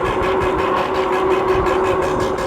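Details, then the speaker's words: TST R002 1300W electric moped-style bike at speed on the main road; steady motor whine with a swishing rub pulsing about four to five times a second at wheel speed; rider suspects front brakes rubbing. "is that the oh it's my front front brakes making noise I hope I didn't damage something"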